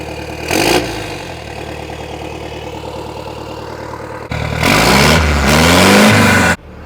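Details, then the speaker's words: Cummins 4BT four-cylinder diesel swapped into a Jeep LJ, cold start: loud hard clatter at idle, then revs sharply and drops back; typical healthy 4BT diesel clatter. "You guys are either gonna love this sound or you're gonna hate it. If you're into diesels, you're gonna love this thing. Sounds great."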